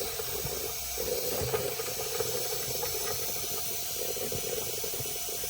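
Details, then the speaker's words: Märklin 16051 twin-cylinder toy steam engine, still running in, on the original burner: the boiler safety valve is beginning to lift, giving a steady hiss of escaping steam with light sputters over the engine's ticking; normal behaviour. "You can hear the safety valve going. You'll see that safety valve is beginning to lift. Beginning to lift."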